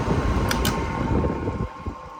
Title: Humming sound the stand fan @standfan